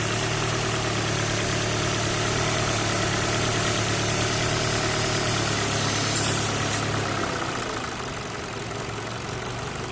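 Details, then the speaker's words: Ford Focus 1.6 petrol idling high and rough with slightly bouncing revs, running lean; a short aerosol hiss of spray sucked in changes the revs, confirming a visible vacuum leak. "look at this and you hear the the engine changing the refs catching fuel out that's my problem will right there"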